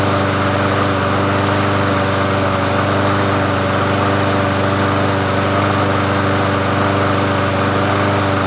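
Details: Murray 22-inch push mower 22526x92a, bought used, running after priming and reconnecting the spark plug; even, steady hum at constant speed with no misses, knocks or surging; engine running normally.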